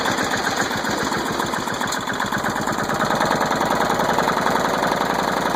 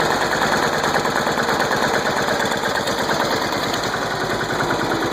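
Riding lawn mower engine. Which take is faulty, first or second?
first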